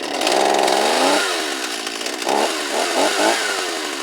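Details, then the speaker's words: Stihl 024 AV chainsaw, not started in a while, with the carburetor internals and boot new, before seal replacement. Revs rise, then stumble and sag and won't settle to idle. Owner suspects the crankcase seals are leaking air. "And whenever you have a saw, if it's completely tuned perfectly, but as soon as you let off, sometimes it'll idle for a second, sometimes it won't. Leads me to believe that my seals are bad."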